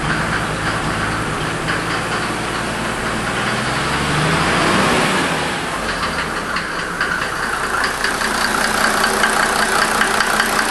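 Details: 1992 Mercedes 300SD diesel idling, the car also smoking. A rough, uneven knock at about two to three a second rides over the idle. The noise is the one the owner has been complaining about; its cause is not known.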